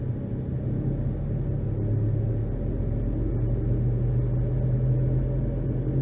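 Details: 2011 Nissan Rogue (front-wheel drive) with new balanced tires, before replacing both front wheel hub/bearing assemblies, accelerating 10 to 60 mph: low, steady hum and roar growing with speed, slight pedal and steering vibration, road noise about 72 to 75 dB; worn front wheel bearings.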